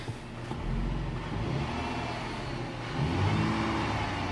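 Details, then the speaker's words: 2008 Dodge Charger after water pump replacement, refilled with coolant and run for a while to normal temperature: engine idles smoothly and rises in a brief rev, with no knocks, ticks or squeals; normal idle and rev. "all right the o8 dodge charger is running smooth filled with coolant and it's been running for a while cool attempt normal she idles good"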